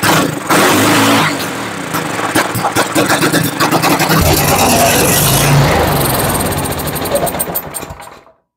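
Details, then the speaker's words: Toro Power Max 828 LE snow blower, 8 hp Tecumseh engine, sat unused for years: fires and revs roughly for several seconds on fuel put straight into the cylinder, then dies; spark good, fault in fuel delivery or carburetor. "okay we know we have a good running engine the issue is with the fuel delivery system or the carburetor"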